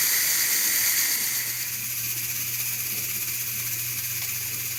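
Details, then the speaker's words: Pressure canner on a first-time home canning run of meatloaf and chunk chicken, about 2 minutes of processing left: a steady, even hiss of steam venting from the top while the canner holds pressure. Normal steam venting. "Alright, so there's 2 minutes and change to go. Still a little steam coming out the top, of course. See what happens when it stops."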